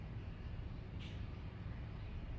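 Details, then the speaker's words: Samsung washing machine after a delayed-end time is selected and started: quiet, low, even rumble as the drum turns slowly while the washer senses and weighs the load, with no knocking or grinding; normal. "Nosotros lo damos ahí. Ahí lo que está haciendo es que está censando."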